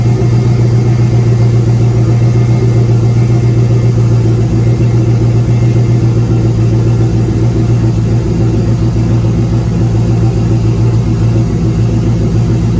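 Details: Turbo GM LS 5.3 in a Caravan, running: a fairly regular knock, tapping or clatter of about 220 per minute over a heavy low rumble; a rod or main bearing is suspected, or possibly a broken ring land, not confirmed.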